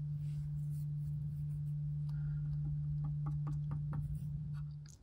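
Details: Knight 98AE-184K mid-1930s receiver's six-inch electrodynamic loudspeaker, field coil energized, after re-shimming the voice coil with transparency film: steady sine tone around 100 hertz, no rubbing, buzz or rattle; cone moves freely, normal speaker tone.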